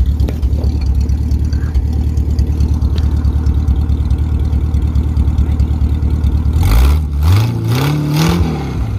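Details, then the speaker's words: 1951 Pontiac Chieftain straight eight, first runs after long storage, no radiator hooked up, slight exhaust leak: steady idle and clean throttle blips, some dark smoke, probably running a little rich, sounds beefy and healthy. "she's probably running a little rich but um we we had T it later on but sounds pretty beefy not going to lie it's it's not bad for straight eight"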